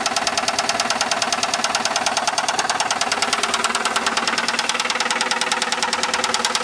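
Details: 2001 Saturn SL2 at idle, stethoscope microphone, after being run very low on oil and sitting two months: sharp metallic knock steadily about twice a second, loud internal knock; oil pressure reads 35-40 psi.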